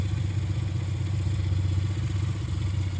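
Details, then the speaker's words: 1996 Suzuki Jimny K6A turbo manual with aftermarket exhaust, recorded from the engine bay after cold start: steady even low idle beat, no stumbles or misses, no leaks; healthy smooth idle. "Okay, and this is it running. Runs really nice and smooth. No stumbles or anything."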